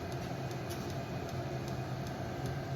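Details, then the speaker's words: Vevor diesel heater after cleaning, running a couple of hours on thin diesel mixed with a little waste oil and two-stroke gas: steady low fan hum with crisp fuel pump ticks two or three a second, flame lit, normal running. "so we got a flame you can hear the flame if you can get over that tick you can hear the flame light"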